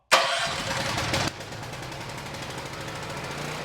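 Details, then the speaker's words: Black Max 8750 generator with a Honda GX390 engine, electric-started on choke after its carburetor was rebuilt, removed and reinstalled; fast catch, a second of cranking and firing, then a settled, even run with no hunting; smooth and healthy, so the carb rebuild worked. "Okay, so it's smooth, it sounds good. So the rebuild on the carburetor worked well,"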